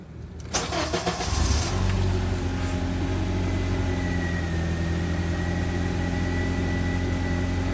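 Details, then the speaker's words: Honda CR-V after repairs with new belt fitted, first start for a couple seconds: starter cranks briefly, engine catches and settles to a smooth, even idle with no weird noises, clicks or bangs; sounds healthy. "No weird noises. No explosions. No obvious click, click, bangs."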